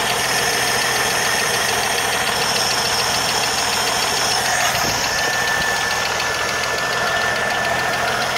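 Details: 1980 Jeep CJ7 at idle: a fast, light metallic tick of roughly three to four per second; a ticking top end with the cause not determined.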